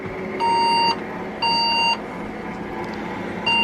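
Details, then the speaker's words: Old Saturn server tower case: half-second high-pitched PCB speaker beeps about once a second over faint whirring; fan-failure alarm from a rattling fan on the SCSI board trying but failing to turn properly. "fortunately that seems to stop the uh whiny alarm it doesn't stop the uh pcb speaker alarm"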